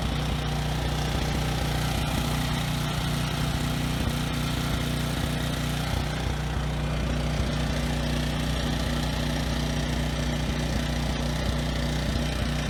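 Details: Briggs and Stratton generator, no load, outdoors in wind over the mic: low, steady drone with an occasional stutter; runs slightly rough with low RPM. Owner plans a carb cleaning and a speed adjustment.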